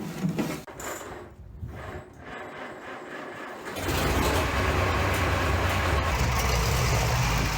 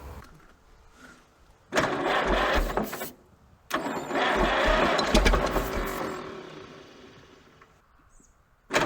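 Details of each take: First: Junkyard Minneapolis Moline ZAU tractor engine with old plug wires, untuned carburetor, unknown timing, blowing blue smoke: steady low even chug at idle, a little pop and miss, otherwise running nicely. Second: Minneapolis Moline ZAU junkyard tractor, water pump seized, low compression suspected, ignition on: starter drags the engine over slowly in sluggish bursts about two beats a second without firing; bearings fine, owner thinks purely an electrical problem.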